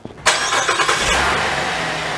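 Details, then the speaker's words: Car started using a NEXPOW AP1 jump starter after its smart clamp pre-charged the battery: short crank catches quickly and settles into a steady running note; normal crank and start. "Once your vehicle cranks up like this one did, you would actually leave the car running for a little while because your alternator in your vehicle is charging your battery."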